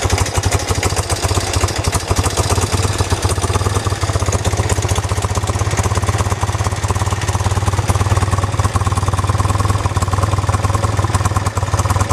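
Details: 1973 BMW R75/5 airhead boxer twin motorcycle with 43,000 miles: steady, even idle beat at a constant rate with no knocks, misses or clatter; runs smoothly and healthily.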